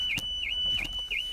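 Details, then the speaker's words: 2016-2019 Volkswagen with dead fob, unlocked with emergency key blade; shrill high warbling tone pulsing about three times a second; factory alarm triggered by key unlock, normal. "there it goes the door now unlocked and getting the alarm sounds not a problem so you need to get inside the car"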